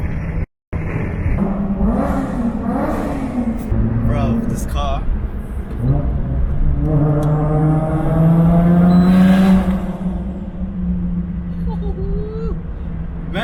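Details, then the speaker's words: Toyota JZX100 with 1JZ engine back on road after four months, turbo manifold bolts that had caused exhaust leak fixed: revs smoothly and pulls away clean, even rising note, no ticking, hiss or rattle; sounds healthy. "oh man just hearing that 1j again i forgot how it sounds like it's been a long four months guys"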